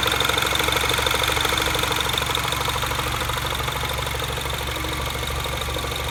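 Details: Mini Cooper S R56 at idle after timing chain tensioner updated with new part: even idle with quick regular tick about three a second, no chain rattle; owner unsure if normal, origin unclear.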